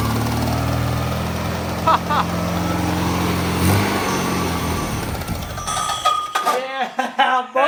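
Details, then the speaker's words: VW Type 3 air-cooled flat-four of unknown history, first start fed fuel into the carb: fires and holds a steady, even low burble with no miss or knock; flywheel still self-clearancing slightly, audible. "yeah so good it sounds so good so good oh man flywheel is still self clearanced a little you can hear it"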